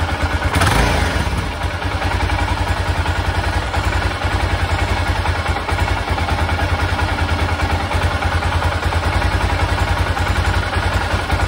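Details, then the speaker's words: 1996 BMW F650 Funduro single-cylinder after stripping carbs fitted with a cheap kit's wrong-sized jets: loud steady thumping with even firing through the rev, no spitting or stumbling; carburettor now feeding cleanly. "that sounds much better so i'm going to give that a go now and see what happens"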